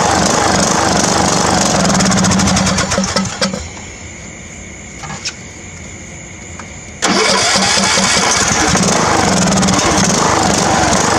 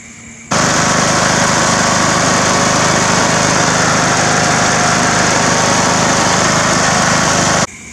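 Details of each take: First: Old Craftsman riding mower after draining old gas and refilling, before carburetor cleaning: catches, runs a few seconds, falls almost to nothing, bursts back in; rough uneven running, cause suspected not confirmed. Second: Old Craftsman riding mower after carburetor cleaning and fresh gas: starts into a steady even drone holding speed without surging or stumbling, then cuts off cleanly; now runs properly.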